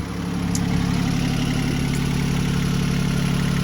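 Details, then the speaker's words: Diesel engine on a 1984 Island Packet 31 sailboat that previously would not start, now running for about a month: a steady, low chug at an even idle, about four pulses a second, with no knocks or misses. A healthy idle. "That's my engine running. That's my engine running."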